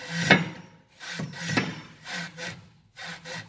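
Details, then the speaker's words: 2012 Volkswagen Passat removed stabilizer bar link flexed by hand: dry creaking crunches in uneven bursts; link rubber completely failed, the source of the creak over speed bumps. "지금 링크를 지금 바로 위에 탈거를 했는데 링크는 아예 지금 그 고무 자체가 지금 아예 고장나 있고 요거를 바로 답이 나왔어요."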